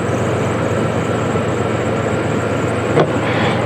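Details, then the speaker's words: 1994 Chevrolet Astro van just after EGR replacement, engine started after reconnecting battery: steady even drone, earlier squeak gone, no more surging or hunting, but idle sits a little fast. "okay and the squeak's gone idle's a little fast but i'll get this radiator cap off so i can top off the corner down here"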